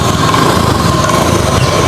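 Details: Honda Beat eSP scooter after repairing a broken harness wire that caused a no-start, and after ECU fault codes were erased and reset: steady, even buzzing idle with no misses or knocks; normal running.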